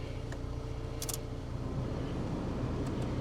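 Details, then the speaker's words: 2007 Toyota RAV4 petrol, 180K miles, salvage title, at auction walk-around: quiet even idle whose note deepens and firms as the A/C compressor kicks in and loads the engine; normal idle change on compressor engagement. "and there and yeah you can hear it kick in you hear the uh idle change"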